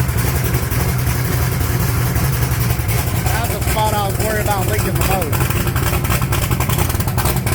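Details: 1980 Trans Am with an 80mm turbo, started after its Aeromotive fuel pump was refitted following return from the maker: it catches and settles into a deep, steady, even idle with no stumbling or surging; sounds healthy.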